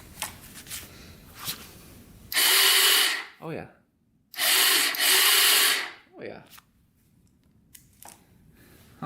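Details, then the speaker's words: 1995 Honda 300EX quad, likely long unrun, spark confirmed, low compression suspected: two short bursts of harsh, gritty whirring while cranking, never catching; something in the bottom end or the starter sounds bad, cause unconfirmed. "something in the bottom end is not sound very good i don't know if that's a starter or what but that we definitely have spark so that's good"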